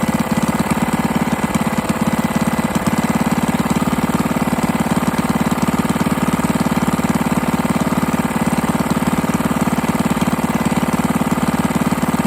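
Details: 98cc single-cylinder engine at steady idle, first run after rebuild with better used parts and a cylinder hone; dull regular knock about three per second from low in the engine, a bottom end knock; owner also suspects the carburetor needs cleaning.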